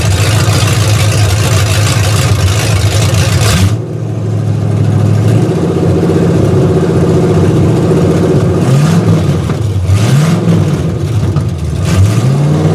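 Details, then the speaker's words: V8 in project car, a few days after B&M ratchet shifter install, idling with timing set pretty well but carb and vacuum advance not yet tuned; mic on ground. Deep burble with slight wandering, hunting idle and a few rev blips: slightly unsteady idle. "Got the timing pretty good. It's fluctuating just a little bit, but I ain't tuned the carb yet."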